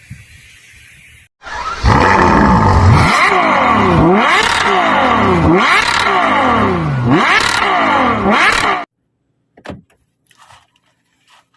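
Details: Rough grinding whir rising and falling with speed while driving a Genesis, loud over the engine; suspected rear differential grinding, not confirmed.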